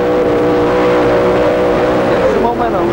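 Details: Super modified pulling truck under load during a pull: loud, steady engine roar holding a firm tone, pitch dropping cleanly through a shift with no misses; it sounds healthy before the pull ends.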